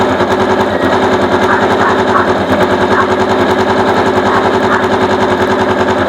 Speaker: aandar siya kaso sobrang ingay ng makina Okay mga sir ang naging problema base sa checkup na ginawa natin ito siya oh kumakaskas yung Magneto dito sa ano makaskas dito kaya para siyang may kumakayod